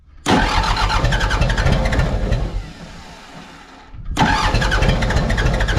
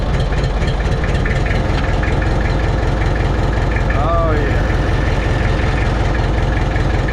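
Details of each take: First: Mitsubishi BD2F dozer diesel, unrun for years, cranked to bleed air from injector lines until fuel reaches each; steady starter churn about four beats a second with short pause, no firing; air still in injector lines. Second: Mitsubishi BD2F dozer diesel running on its own after two or three years, after cleaning rust from fuel primer pump and bleeding the fuel system; low even chug at steady idle, no stumbling; normal healthy idle.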